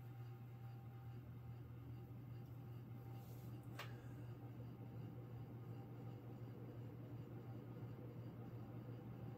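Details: 52-inch King of Fans Grenada ceiling fan, mid to late 1980s, three-speed: constant low hum at one steady pitch; bearings quiet, the noise is vibration in the motor housing.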